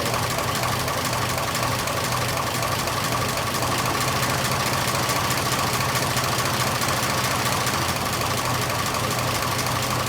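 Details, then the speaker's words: 1926 Oakland, first run in 75 years on its own gravity-fed fuel system: even steady idle, soft low thump, no misses, slightly slow; idle set a bit low, mixture being adjusted, smoking heavily. "idle's a bit low idle is just a little"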